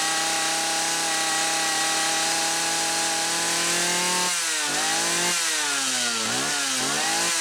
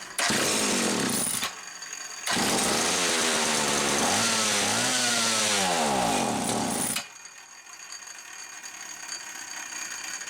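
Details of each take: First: Homelite 360 chainsaw that wouldn't run consistently, after fixing a misaligned carburetor/intake bushing, carb set about 1.25 turns: a high, steady two-stroke scream that drops and climbs crisply with throttle; normal running. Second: Homelite 360 chainsaw, bench test for inconsistent running: screams at full revs, cuts out, returns with wavering revs, then dies as fuel spurts out the top; engine surging and dying from fuel starvation, misaligned carburetor bushing.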